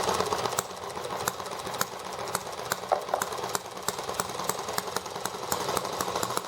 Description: The ET8 is running fast now that it is warmed up.